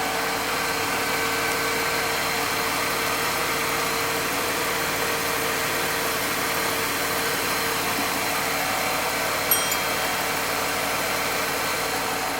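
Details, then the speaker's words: Mercedes-Benz W124 E320 (M104 inline-six) idling around 800 rpm after an oil, transmission oil and filter service and belt dressing: a steady, even hum with no belt chirp, knocks or wobble. Described as smooth and healthy. "Hai suara mesin menjadi halus Hai kalau sudah sering memegang mesin m104 Hai dengan suara ini Pak sudah mengerti dia di antara 800-115 m.qhi"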